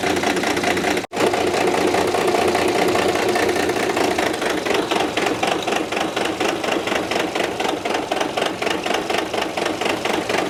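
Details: 1995 Dodge 12-valve Cummins diesel after the injection pump went back in: hard, fast clatter that keeps driving and won't settle. Engine running away.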